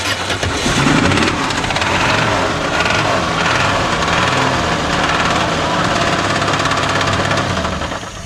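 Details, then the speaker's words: 1978 Plymouth Volare slant six, first fire after sitting a few years: loud, uneven start with a dull knock under the roar; owner suspects engine knock, possibly exhaust leak, not confirmed. "What is that? That did not sound good. Is that engine knock or exhaust leak? It definitely sounded like an engine knock,"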